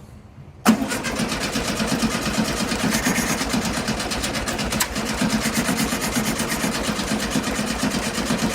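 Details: 1972 VW Beetle, sat over three months wet, first start attempt after three hours battery charging: starter cranks steadily several seconds but never catches; battery fading, ignition/spark suspected, everything soaking wet.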